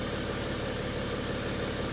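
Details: 2012 BMW X5 diesel, M57 engine, after EGR cooler repair: smooth, even diesel clatter at steady idle with a little turbo whistle, no hunting or misfire, no fault codes.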